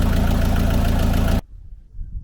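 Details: Peugeot Boxer camper van diesel at idle after oil, oil filter, air filter and diesel filter service: steady even clatter with regular low pulse, no misses or knocks; healthy idle while checking for leaks.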